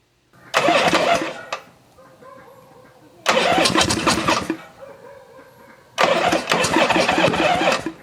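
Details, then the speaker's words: 1974 Harley-Davidson XLH Sportster after sitting for years, starter switch bad so turned over with a wrench across it, fuel poured down the carburetor: three short ragged bursts of firing, each dying within seconds; sputters on primer fuel, no sustained run. "So, little booger sugar down the chute there and turned the key on and grabbed a little wrench and just spun it over and shocked myself a little bit too. And yeah, you can hear it."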